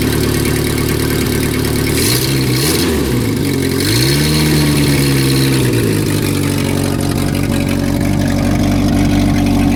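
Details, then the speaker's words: Renault R10 engine started after sitting over 20 years, with new points, a repaired broken points wire and a cleaned carburetor, no coolant in the radiator: steady, even idle with a couple of light blips; healthy, though a possible exhaust gasket leak is suspected. "will it start after 20 years yes it will what a great little engine this sounds like it needs a an exhaust gas turd gasket anyway no I'm happy with that"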